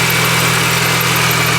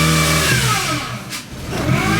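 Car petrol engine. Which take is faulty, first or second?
second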